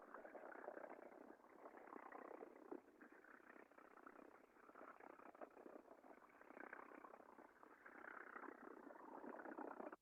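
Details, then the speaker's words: Industrial chain drive heard via airborne ultrasound sensor near the cogs: rough scratchy hiss with rapid irregular crackle and odd squeaks; chain found worn and slightly misaligned, sounded normal after fixing. "So very weird kind of squeaking, odd noise coming from this. So upon investigation, the chain was indeed worn. There was a slight misalignment there."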